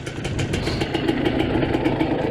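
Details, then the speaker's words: Revived 1986 Suzuki LT250R two-stroke ATV after pickup-coil wiring repair, air screw at two turns (may go to 1.5), smoke clearing from the pipe: crisp, even, snappy idle popping with no stumbling. Normal idle. "But she will idle. I promise you, she will idle. Oh, yeah. She sounds snappy now, baby."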